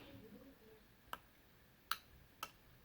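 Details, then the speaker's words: NOCO GB150 jump starter stuck at 25% charging, opened up: three sharp irregular relay clicks as the device turns on then off; battery pack measured 11.2 V. "so we hear the really like is clicking for the device it turns on then it's go off"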